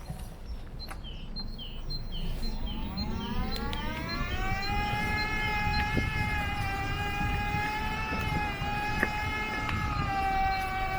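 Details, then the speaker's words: Scoozy S800 mobility scooter after off-road woodland footpaths. A clear high whine rises in pitch then holds steady over the drive motor and rough-ground rumble. The owner hopes it doesn't mean damage; cause unknown. "Yeah, I'm sure you can hear that whine. That's quite pronounced. Let's see if it goes away with time."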